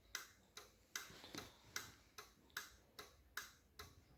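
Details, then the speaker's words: BMW R60/5 during restoration, ignition on, handlebar turn-signal switch worked right then left after rewiring: crisp, even flasher relay ticks at about 74 a minute with nothing else behind them; normal flasher operation. "we have the right switch, and now the left switch, signal switch. And I hear the sound of the relay."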